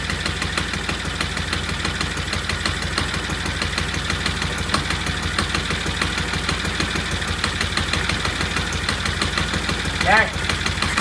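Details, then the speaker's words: Vintage Norton twin motorcycle idling after ignition timing was set; steady sharp metallic ticking from the primary side over the uneven idle; suspected chain slapping because the primary chaincase has no oil and the hydraulic chain adjusters aren't pumping up. "We're going to put some oil in the primary and see if those hydraulic chain adjusters will hydraulic size themselves and stop that slapping noise."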